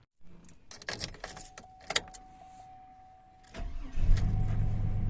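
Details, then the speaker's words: 2003 Chevrolet Silverado after repair, coolant refilled, no trouble codes: keys and door chime, brief crank, fires right up and settles into a smooth steady idle; normal start, though tach reads zero due to known gauge faults. "fired right up"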